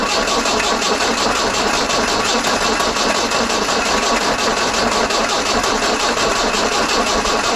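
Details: 1968 Datsun 510 cranking after new spark plugs and new fuel pump fitted, healthy battery: steady starter cranking about eighty turns a minute, no firing; owner suspects new fuel pump still priming, cause unconfirmed.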